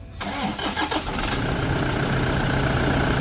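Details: Toyota Vigo 2KD diesel, 300,000 km, in for timing belt service with injector cleaner added: brief crank, catches quickly and settles into an even, steady idle; starts and runs normally.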